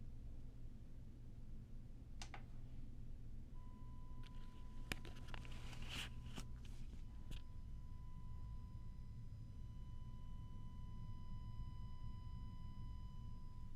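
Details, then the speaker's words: 1990 car audio amplifier on a dyno at 14.5 V with a 1 kHz test tone, microphone held close: a thin, steady 1 kHz whine over a low hum and handling clicks, coming from the power transformer. "It happens in quite a few amps, believe it or not, and as you test them, you see that a lot of times with the 1 kilohertz track, you can definitely hear it in the transformer."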